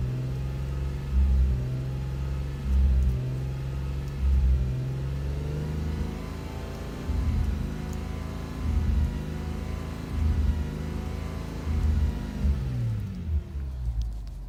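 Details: Subaru 3.0R with codes P0302, P0304, P0306 (cylinders 2, 4, 6, bank 2) despite new plugs, EGR, fuel pressure, PCV, MAF checked, no vacuum leaks: low drone surges and stumbles about every 1.5 seconds under throttle; misfire.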